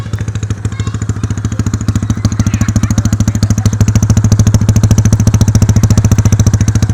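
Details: Yamaha Mio scooter being run in after rebuild with a carburetor, not yet fully broken in: deep, even firing thump about three and a half beats a second, strong with no knocks; normal running.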